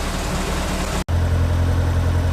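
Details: Lancia Delta race car engine rebuilt, warming up to temperature before a tune: low steady hum, even beat, no knocks or misses.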